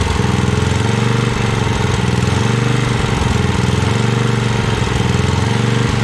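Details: 1982 Snapper Comet 8 HP Tecumseh engine, off the tractor, run on choke at full throttle, burning off old fuel with a foul smell: steady high-speed single-cylinder roar, rough slightly uneven beat, won't settle below full throttle; needs more tuning.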